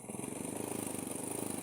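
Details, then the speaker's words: Honda Supra motorcycle, small single-cylinder, held at full throttle: steady low putter that never climbs, rpm won't rise and bike won't move; oil pump gear stripped bare and cam gear worn. "Gigi pompa olinya ini sampai gundul. Terus gear sentriknya sampai haus lah."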